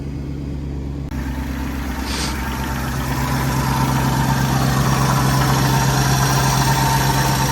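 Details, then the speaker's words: Mercedes W124 E420 V8 at cold-start idle, warming up; loud steady electric hum of the secondary air (smog) pump over the even engine beat until it switches off; normal, separate from a suspected water pump bearing noise. "All right, smoke pump just went off. You can hear. Crazy how loud that thing is."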